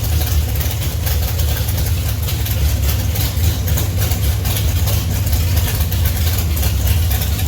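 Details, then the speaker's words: 1971 Plymouth Duster race car, 528 big-block Mopar on alcohol with Powerglide, run after sitting 3 years with rockers loaded (valve springs likely weak): loud, lumpy but steady idle, strong low rumble, even firing; runs good, needs new springs. "that sounds good runs good put some Springs in it"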